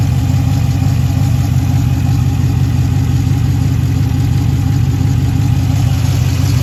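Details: 2013 Jeep Grand Cherokee idling, heard through the exhaust with smoke: steady idle with an uneven beat about three a second; left bank cylinder 5 misfire (P0305) from a bad camshaft lobe and lifter, fuel not burning completely.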